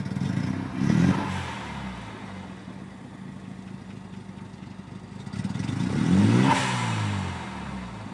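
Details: Rotary engine in a recently rebuilt Mazda RX-7 FD3S Type R, parked for months, blips twice then settles into an uneven, stumbling idle with irregular pops: misfire, engine builder suspects a spark plug, unconfirmed.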